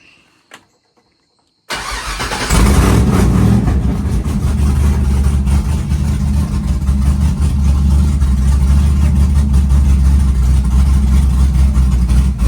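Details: Chevy truck with freshly built LS-swapped big-cam V8, started at 75° coolant temp: deep even lopey rumble right after start, no knocking or ticking; healthy idle, engine running fine.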